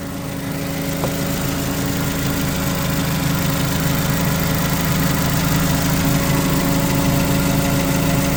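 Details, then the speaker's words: 2008 Mitsubishi Caterpillar 5000 lb dual-fuel forklift during pre-delivery inspection, running on gasoline: steady even low drone, no knocks or misses; engine sounds good and strong, normal idle. "Engine sounds good. Sounds strong."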